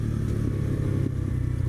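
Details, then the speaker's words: New X-PRO 125cc Chinese sportbike, first ride while breaking in: steady low engine drone under way, even with no knocks or rattles; engine and transmission mechanically fine though it vibrates and needs tuning. "smooth pretty smooth not bad mechanically it runs great transmission engine runs really well"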